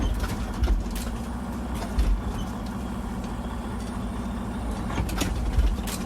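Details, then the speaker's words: Freightliner Cascadia truck at diesel idle: a few heavy low thuds every second or so, worse when taking off or on bad roads, caused by a broken cab mount. "noise over there and especially when you go on a bad road like this he's gonna make a big noise when I hear it really what you hit it so that is cows because the motor mouth is broken the madam on the camera mom over here is broken"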